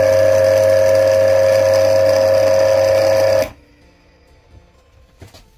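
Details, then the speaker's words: Single-phase asynchronous motor that hummed without turning now spins after capacitor wiring change, with a loud, unpleasant high-pitched hum stopping at power-off; smoke, housing and windings hot; maybe lubrication or winding, unknown. "ну какой то у него звук есть такой неприятный и он ты мечту самый неприятно не знаю может быть это просто там где-то смазывал это может быть обмотка где-то фиг узнает не понятно как работать"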